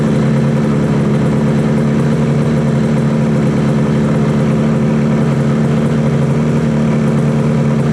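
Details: 1968 Yamaha YAS1C 125 two-stroke twin after carb sync and timing work, air screw at 1 3/4, both sides equally warm: steady even burble and low hum, no misses or hunting, balanced, normal idle.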